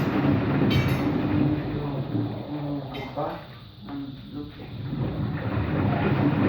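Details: Washing machine on rinse and spin with an empty drum: deep, continuous rumbling roar and low grinding drone; owner suspects both the motor bearing and the drum bearing are bad, no leak seen.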